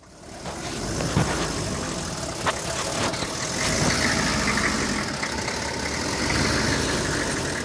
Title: 95 Chevy 3500 rough idle